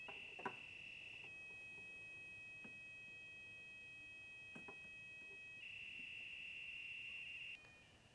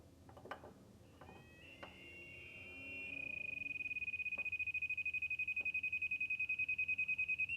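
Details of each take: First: 2011 Scion xB, repaired and re-pressurized line after recurring check engine light: leak detector holds a steady high tone around the line with no rising alarm chirps; no leak detected, line sealed. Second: you can hear the audible siren go off much louder and my leak detection light is on confirming that there's a leak somewher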